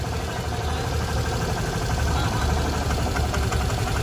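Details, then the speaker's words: Suzuki Access petrol scooter, about 47,921 km, idling with a dull, uneven low knock under the beat ("tuk tuk" sound); diagnosed as a worn clutch bearing, replacement fixes it. "यह वह clutch सहन करना शब्द मित्रों। बदल दें। इसे दूर फेंक दो।"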